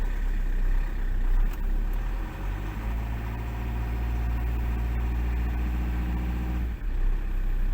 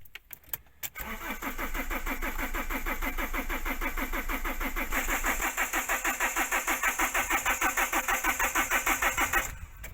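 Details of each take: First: Fiat Doblo 1.9 JTD common-rail diesel that previously started only with a full battery or by rolling; low rail pressure suspected, high-pressure valve replaced and coded to control unit; now a steady even idle clatter; normal idle. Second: Fiat Doblo 1.9 JTD common-rail diesel cranks steadily for about eight seconds but never catches, only a small puff of smoke out back; starts only with a fully charged battery or when rolled downhill, pointing to insufficient rail pressure.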